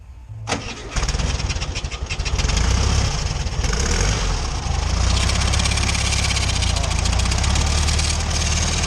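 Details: VW Beetle (Fusca) air-cooled engine cranks and starts, then idles with a harsh metallic scraping hiss; alternator bearings are badly worn and due for replacement.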